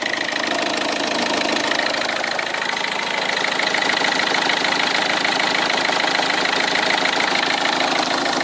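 Steady idle with a fast, fairly even tick riding on top, about three per second; something's off but the cause isn't clear.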